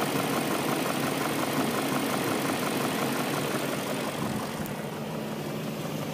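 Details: BMW M62B44TU petrol V8 idling smoothly and evenly with a steady low pulse and no chain rattle, right after replacing the chain tensioner (part 11317531813) with an aftermarket INA part on the stock exhaust; normal idle.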